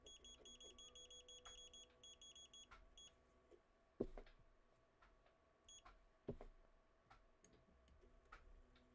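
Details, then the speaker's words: 3D printer after firmware upgrade: quiet stop-start whirring as the stepper motors step through homing, light clicks at the end stops; homing sounds normal. "so if I move this by hand sounds normal that sounds normal to me"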